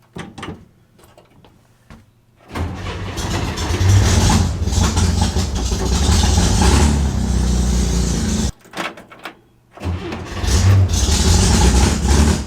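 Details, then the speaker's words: Air-cooled car cold-started right after the battery was hooked up: quick crank, catches at once, settles into a steady idle, shuts off and restarts cleanly. Normal cold start; hot restart still to be tested. "To be fair, it is cold, and it starts cold okay."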